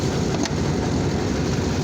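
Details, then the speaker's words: Chevy diesel ("Dirtymax") idling in driveway, hood up; deep, dense, slightly uneven idle; blowing head gasket putting pressure in cooling system, owner thinks it's running on only seven cylinders (misfire suspected); replacement engine planned. "That's what it sounds like when she's running. She's only running probably on seven cylinders right now."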